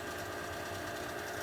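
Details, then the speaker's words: Bryant furnace/AC blower motor, capacitor replaced earlier, doors off and safety switch taped: rough buzzing whir with a steady rattle; the worn motor overheats, locks up and shuts off within minutes, and is being replaced. "But as you can see, this is really noisy. In a few minutes here, it's going to basically lock up and go make a sound, and then it'll shut off completely."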